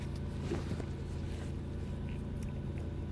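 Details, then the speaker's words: 2006 Nissan Murano, warm engine, codes P0507, P1800, P0420: steady but high idle at 1088 rpm before the idle air volume relearn via scan tool, after which the idle dropped. "it's definitely high, 1088."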